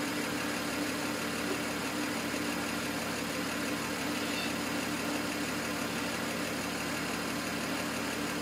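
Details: N54 engine misfiring at idle, logged with an IPNA video log: the idle runs uneven and lumpy with an irregular stumble. The cause of the misfire is not yet found.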